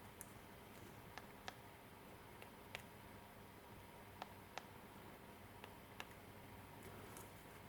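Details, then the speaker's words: 2003 Hyundai Elantra remote key fob after CR2032 battery replacement and button repair, previously intermittent; crisp, separate clicks at uneven intervals as each button snaps cleanly and transmits, working properly again. "it feels really good you can hear the the buttons clicking again and you can see it's uh transmitting"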